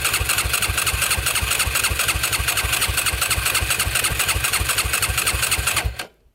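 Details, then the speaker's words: Yamaha YFZ450 quad, just bought and on its first ride: steady fast cranking about two beats a second for six seconds, never catches; cranks but won't fire. Owner suspects no spark, maybe a disconnected wire or spark plug wire; unconfirmed. "It almost seems like it's not getting spark. Not good at all."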